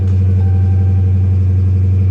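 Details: 2018 Dodge Charger at salvage auction, 59,000 miles, minor front-end damage, low fuel, oil change due, no dash warning lights: steady, even deep rumble with smooth firing and no knocks, ticks or whine; healthy.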